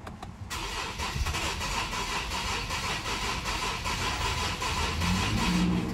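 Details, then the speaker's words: 2013 Infiniti G37 3.7L V6, shut off while driving, cranking in clear-flood mode: long uneven lopsided crank, no start; timing chain problem suspected, compression issue being tested. "So hopefully you guys were able to hear that, but this thing has a really uneven crank."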